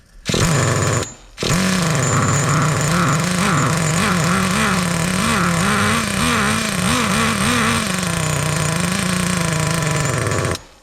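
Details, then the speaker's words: Traxxas T-Maxx nitro RC truck, restarted after sitting 17 years. It screams with a pitch that wobbles and burbles, running very rich, and the clutch is spinning like crazy, making a whirring noise. The mixture is leaned out afterwards. "all right she's really rich I was like what's that noise it's it's cuz the clutch is just spinning like crazy"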